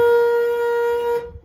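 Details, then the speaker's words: Budget classic car restoration, first power-up attempt with battery connected: single steady loud honk holding unbroken, then cutting out when power drops; horn stuck on. "Geez, the horn was stuck on. Okay, well, we've got power. At least to the horn anyway."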